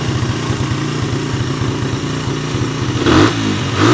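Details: Suzuki Satria F150 after fixing a faulty ground wire (bike ran but would not rev): single idles with a steady thump, then two quick clean blips around three and four seconds; revs rise freely, sounds healthy.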